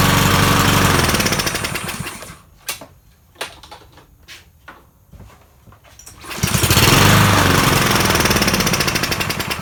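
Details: Troy-Bilt 21-inch self-propelled mower salvaged from the dump, owner thinks it has a Kohler engine: it runs, cuts out for a few seconds amid clunks, then restarts and slowly sags in speed. It runs rough, and the owner says the carburetor needs cleaning.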